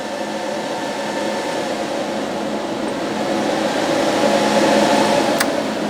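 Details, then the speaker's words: 4-pill BLF188XR LDMOS amplifier, 48 V supply: airy fan roar with a thin high whine that climbs as the amplifier is loaded up; stock cooling fans loud under load. "That high pitch is when you start to load the thing up."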